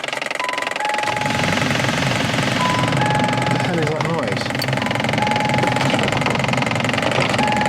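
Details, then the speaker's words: Crashed Ford Focus RS Mk2, first start after about 40 minutes on battery charge: engine idles with a steady high whistling tone over a rough, rattly run; owner finds the noise annoying and does not know its cause. "oh yes she starts I don't know what the hell that noise is very annoying but is on"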